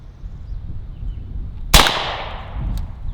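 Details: AEA Defender 2 air rifle, one barrel loaded (extra barrels had caused a misfire that dumped the air), firing a normal shot at about 301–307 ft/s: one sharp crack with a short fading tail outdoors; clean, normal discharge.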